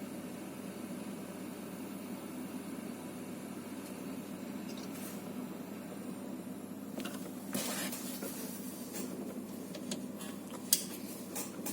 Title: Antec TP650 PSU Hissing noise